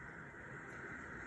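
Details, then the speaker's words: Infant resuscitaire setup: elephant tubing and baby mask on the gas outlet, oxygen turned up to 10; a steady, even hiss through the mask with no sputter or pulsing, so the outlet is delivering oxygen normally. "you should be able to hear the hissing of the oxygen coming through the mask"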